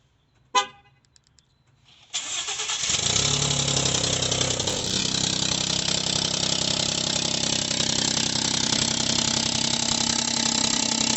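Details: 2018 Ford F-150 2.7L EcoBoost after start at idle: loud hissy puffing tick about three per second; exhaust leak from EGR cooler inlet tube whose weld broke at the flange; fixed by replacing tube.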